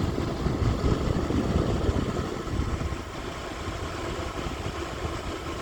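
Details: Lasko electric fan heater on high (1500 W; low 750 W), camera near bottom outlet by heating coils; steady airy whoosh with low hum, no rattles, scrapes or ticking: normal fan operation.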